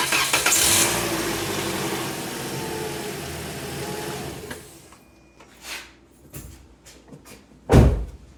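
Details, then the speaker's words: 2018 Toyota Corolla started after oil change with synthetic oil, oil still being topped up: cranks and catches with a loud rush, then quiet even idle; no knocks, healthy start. "Just till the oil pressure light goes out, which because we're using synthetic is pretty much immediately."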